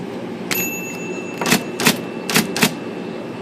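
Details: IBM Selectric III typewriter, stalling fixed by removing a rubber band tangled in shaft bearing: crisp, evenly spaced clacks in quick bursts over faint motor hum; cycling and printing normally.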